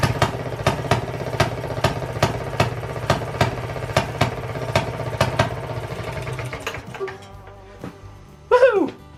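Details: Circa-1920s Maytag two-stroke washing machine engine, said to be rebuilt, freshly started after 5+ years sitting, after cleaning the points: sharp, even pops about twice a second, coasting quietly between firings; healthy hit-and-miss running.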